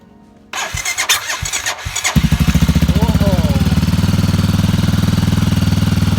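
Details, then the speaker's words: Motorcycle with a really bad battery on its first start attempt, using a new, uncharged small power-bank jump starter clamped to the battery negative. A few uneven, labouring cranks, then it catches and settles to idle. Hesitant cranking from the weak battery. "And there's some hesitation because the battery is really bad. Some hesitation there."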